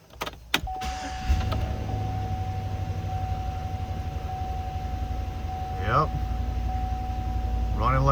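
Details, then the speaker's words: 2017 Chevy Express 6.0L van, crank-no-start fixed by repairing a bad ground, MAF intake boot refitted: catches after short crank and settles into steady smooth low idle, no misses or knocks; back up and running. "Look at that. She's back up and running."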